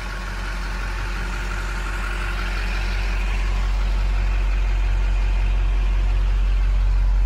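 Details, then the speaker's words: 2005 Chevrolet Silverado 2500HD 4x4 automatic, 6.6 Duramax diesel, 20,000 original miles: after a quick, easy start, a deep, steady, quiet, smooth low rumble with no knock or miss. Normal diesel idle. "quick easy starting duramax very quiet [Applause] smooth"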